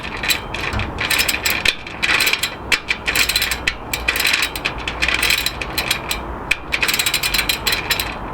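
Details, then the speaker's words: Sturmey Archer FW 4-speed rear hub in freshly built Moulton wheel, axle only finger-tightened, spun: fast dry, uneven gritty ratcheting clicks; hub notchy, cause unknown, hub to be opened. "sounds horrible actually and that's not even tight and that's just finger tightened right"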